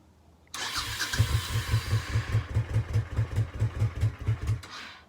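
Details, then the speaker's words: Honda Shadow Sabre 1100 V-twin, fuel added, otherwise untouched: fires up and settles into an even, lumpy beat of about two and a half pulses per second off choke; running cleanly, minor oil seep from a loose cover. "running without the choke on right now choke is on it's a running bike it's crazy that it's running"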